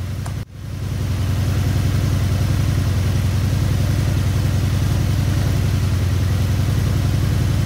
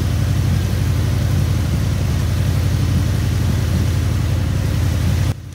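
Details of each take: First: Honda VF750 Magna V4 with four carbs, rebuilt a year ago then left sitting about 10 months, idles with a low, lumpy beat unchanged when one carb's mixture screw is turned fully: that carburetor's idle circuit is clogged. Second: Honda VF750 Magna four-carb V4 at idle, sat 10 months after full carb rebuild: turning one carb's mixture screw fully in makes the steady low idle sag, showing that carb's idle circuit works, unlike a carb where nothing changed.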